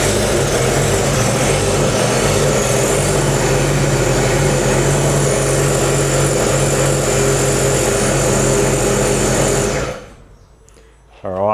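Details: Sea-Doo RXT 300 dry-sump engine after bottom-end rebuild, short run without coolant: steady, even idle with a fast regular beat, no knocks or misses, then shut off; smoky from squirted oil, owner suspects something is blocked.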